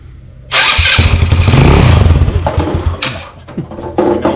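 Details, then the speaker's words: Icebear Maddog 150cc Gen IV GY6 that cranked but would not run, fixed by refitting the stock CDI in place of the aftermarket one: catches right away and settles into an even steady putter. "what works that's a running motorcycle right now easy fix like all fixes you just have to go to the last thing you touched"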